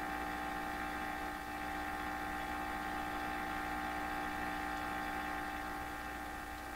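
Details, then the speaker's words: Steady low mains hum with fixed tones on a signal tracer (TRF receiver) used on a 1928 RCA Victor Model 28V radio; stray shop hum is picked up by the test leads and fed into whatever they clip onto. "Can it be that there's enough hum floating around in my shop here in the ether? Even these leads are picking it up and presenting it to whatever I clip it onto."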